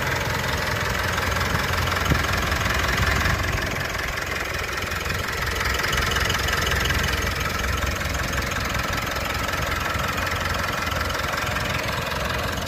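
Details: Mitsubishi All New Pajero Sport 4N15 diesel at idle: light, even clatter with constant hum, no misses or heavy knocks; normal, smooth, healthy engine.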